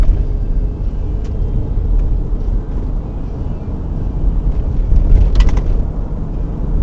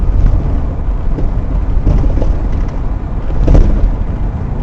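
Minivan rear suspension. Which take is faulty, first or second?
second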